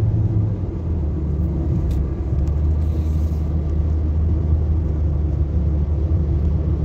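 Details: Nissan Sentra at 131,860 km, road test after repairing a cylinder 2 misfire (P0302) that had made it jerk: even low rumble under way with no stumbles or jerks; the cylinder now fires cleanly with no misfire.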